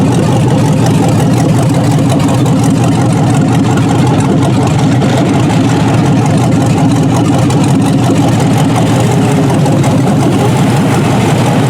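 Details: Junkyard 6.0 L Chevrolet V8 from a 2002 Chevy truck pulled from a mud hole (no water in oil), first test run on a test harness, manual oil pressure gauge fitted. Steady, even low idle rumble with no knocks, ticks or misses; normal healthy idle.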